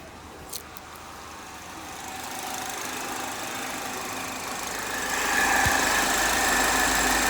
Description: 2010 HHR 2.2 Ecotec making a weird noise when warm, can’t figure it out...Take a listen.